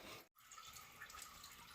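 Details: 1991 Chevy S10 2.5 L during radiator removal: quiet steady hiss of liquid running and trickling as coolant pours out of the cooling system; exact source unclear. Coolant leak.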